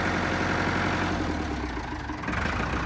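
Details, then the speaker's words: Rescued Ford 5000 diesel row-crop tractor, first start after sitting, loader raised: even low chug that dips briefly under load and recovers, no knock; a light on that is possibly low oil pressure, oil present; sounds pretty good. "I don't know sounds pretty good"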